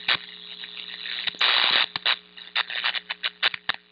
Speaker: there's a very distinctive saying if you hear this and definitely donor eyes in a panic